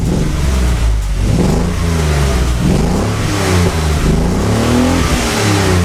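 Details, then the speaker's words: 1979 BMW 633CSi, first running in 5 years, straight-through exhaust with X-pipe: clean revs rising and falling smoothly, deep even note, not too loud, no misfire, rattle or leak; normal exhaust note. "I'll include some clips of the exhaust raving it sounds really good I have an x pipe it's pretty much a straight through with an x pipe um doesn't sound too loud and yeah you'll hear it next"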